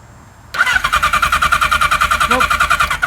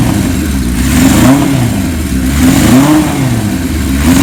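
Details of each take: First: 1977 Kawasaki KZ1000A on a jumper battery after carburettor cleaning and new spark plugs: the starter spins the engine briskly, about three compressions a second, with no firing; no spark, so the points need checking. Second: 1977 Kawasaki KZ1000A, once converted to LTD style, unrun for years: first start after cleaning the points to cure no spark. Four-cylinder fires and revs freely in clean throttle blips while dust and debris burn off the engine; running normally.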